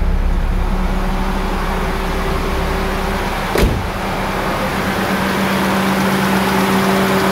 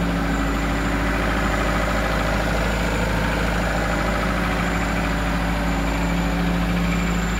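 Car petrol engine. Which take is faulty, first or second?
second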